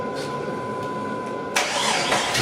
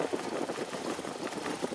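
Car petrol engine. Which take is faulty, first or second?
first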